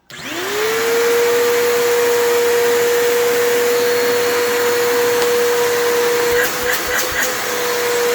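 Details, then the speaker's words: Bissell PowerForce 3537 vacuum, packed with horse debris, spins up to a steady but unusually quiet whine with a few knocks; the armature and carbon brushes are struggling and the motor sounds like it's going out. Weak motor. "yeah, that motor is struggling. It kind of reminds me of, like, it sounds like it's going out. Like, it's definitely, it's not loud. Like, it's quiet."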